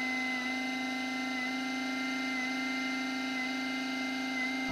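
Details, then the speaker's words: Timemore Sculptor coffee grinder while grinding beans: the steady high motor whine dips about once a second, so the motor stutters at an inconsistent RPM; cause unknown. "I can hear that the motor is not running at a consistent RPM it stutters and bumps and I don't know what is wrong with this thing"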